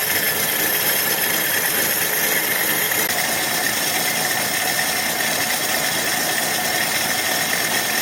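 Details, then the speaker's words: 1966 Dodge Dart 225 slant six after fixing the new Autolite-style single-barrel carburettor's fuel inlet plumbing: steady, hissy idle, even beat, slightly slow, no knocking; seems better than the Holley 1920, possibly missing a little. Normal idle. "seems a little better than the 1920 doesn't it yeah I don't remember real well but okay"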